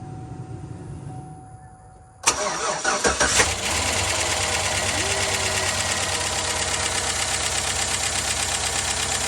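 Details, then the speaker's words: Chevy 5.3 V8, first start after a timing chain, tensioner and oil pump replacement, after sitting a long time: it catches after a short crank into a loud fast ticking lifter clatter that quiets once oil pressure builds. "Just as we were doing an outro, the lifter quit clattering, so."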